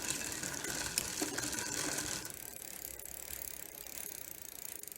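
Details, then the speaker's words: Barracuda dual-suspension trail bike, rusty, on a stand after spraying gears with WD-40: steady fast freewheel ticking under a light hissing scrape as cranks spin; chain rubbing on a sprocket face. "and you can hear even now the chain [Music] is rubbing on this face here so that is not going to be very good"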